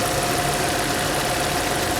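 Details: Audi A6 C5 with code P1570; it cranks, catches and immediately dies. Uneven, stumbling idle with a lumpy beat where one cylinder drops out. The tester shows no spark on the third cylinder.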